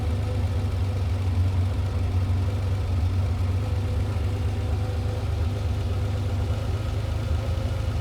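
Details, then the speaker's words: Ferrari 512BBi flat-twelve during carburettor mixture adjustment: idle never quite settles, beat wandering, engine hunting; one side too lean, and covering the mixture screw hole raises revs 25–30 RPM and smooths it once corrected. "This is too lean at the moment because the engine's hunting. It's not happy."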